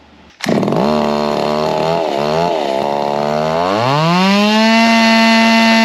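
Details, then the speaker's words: Echo stroker 3-cubic-inch racer chainsaw converted to gasoline, on the dyno at wide-open throttle: high scream whose pitch sags and hunts; power below hopes, needs fine tuning, timing suspected not advanced enough as on their 372. "not quite what I was hoping for but as you could hear there's still a little bit of fine tuning that can needs to be done done"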